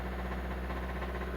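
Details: Hyundai i30 1.4 petrol engine idling with a deep steady drone and faint regular knock, suspected worn bearings; engine also burns about a litre of oil a week, teardown and possible overhaul planned.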